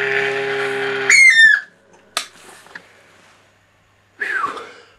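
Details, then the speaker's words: Cifer 2486 intelligent terminal, unused since 1982, at power-up with the 8-inch drive off. A high whistling squeal rises over a steady hum, then cuts off; no smoke, and the rear cooling fan is suspected to be failing and needing attention. "Okay, we have life of some kind. That noise is sounds like the rear fan."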